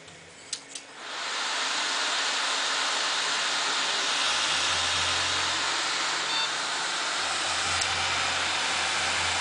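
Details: Newly built PC at first power-on (Intel E8400 overclocked, Swiftech H20 water cooling, two 8800GTS cards, OCZ 700W PSU): a switch click, then a quick rise to a steady airy rush with a faint low hum; fans spin up normally.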